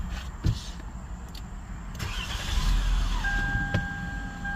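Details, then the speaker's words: 2008 Toyota Avalon at startup: as the engine cranks and catches a tone sweeps in, then settles into a steady high whine over the idle; cause unknown. "it's like a winding sound like a what do you explain that what is that how do you explain that"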